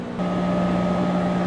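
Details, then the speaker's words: New Danby 50-pint dehumidifier's drain pump switched on with the bucket full (P2 indicator and red LED lit): a steady low hum with an even tone comes in and holds smoothly, moving water; normal condensate pump operation. "So there's again, the P2 indicator the bucket's full. The LED on there, the red one to indicate the same thing. I'll turn on the pump. We hear that going."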